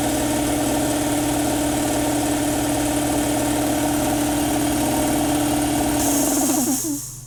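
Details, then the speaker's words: Campbell Hausfeld air compressor after unloader valve replacement: even pumping drone, then motor stops with a short sharp unloading hiss; running normally, with no more air leaking from the pressure switch area. "you know hiss at the end that's what it's supposed to do and it's not blowing air out from underneath here anymore"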